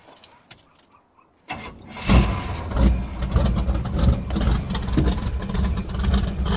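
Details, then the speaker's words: Cold start of a V8 truck with worn rings, heavy choppy cam and low compression (passenger bank 125, driver bank 100 psi), previously misfiring on at least three cylinders: short crank, then a slightly uneven idle, much better than before. Engine start and idle. "Actually sounds good. Still a little bit rough actually. Not really sure what that's about. But it's much better than it was."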